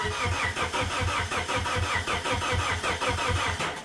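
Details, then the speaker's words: 1999 Plymouth Neon sat at least 8 years, makeshift external fuel pump pressurized: steady cranking, compression pulses about every three-quarters second, never fires; crank no start. "so I'm not sure what's going on with this thing the uh pump pressurized disconnect that so it's not going to sit there and keep trying to run maybe it stopped working anything's possible"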